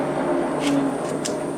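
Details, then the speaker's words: Schaublin machine electric cabinet test after rewiring relay logic: coolant pump makes a steady mid-pitched howl with a thin high whistle over the motor hum, an awful sound while everything else works; abnormal pump howl, cause unclear. "doesn't sound good it's making awful sound"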